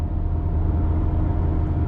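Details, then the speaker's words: Nissan Sentra while driving: steady low droning hum from the rear under road noise, growing louder with speed; worn wheel bearing. "you can hear because this car gets moving it's getting louder hear it the back just that loud humming just run it gets louder and louder the faster you go"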